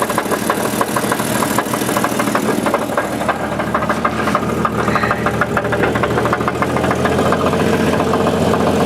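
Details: 1988 Jeep 4.0 Renix idling smoothly with a sharp, regular knock about three times a second, slightly louder toward the rear; owner suspects piston slap, not rod knock, since it vanishes at speed, unconfirmed.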